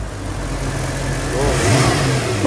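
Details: Mercedes-Benz, cold morning start after standing about 6-7 hours: the engine catches and runs with a light, quick rattle over the idle for the first seconds. Camshaft adjuster (VANOS) rattle on cold start.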